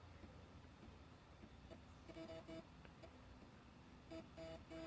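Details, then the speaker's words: Zenith Z-NoteFlex NTB005 laptop, after a hard-drive "error loading operating system" boot: the floppy drive seeks normally with short buzzy stepping chirps in small clusters and faint clicks as it tries to boot from floppy. "that hard not the hard drive that uh floppy drive definitely sounds better"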